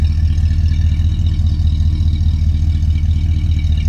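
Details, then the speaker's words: 1964 Oldsmobile Dynamic 88 convertible V8, recently made roadworthy: deep even exhaust burble at steady idle, every pulse matching in strength; healthy smooth-running. "and you can hear that exhaust note that's pretty cool"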